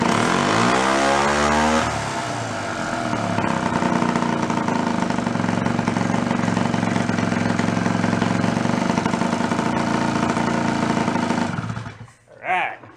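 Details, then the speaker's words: Fold-up 49cc suitcase scooter, two-stroke, first run after sitting 40-50 years, no choke, a little throttle: fires up, revs, settles into a steady buzzing idle that is clearing up and breaking up less, still smoking; normal running. "How cool is that? First time that thing's been run 40-50 years. Yeehaw. Sounds good too. It's clearing up. It's not breaking up as much."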